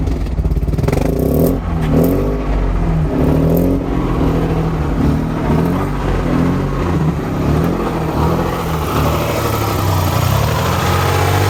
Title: Mazda rx 8 rattling noise from engine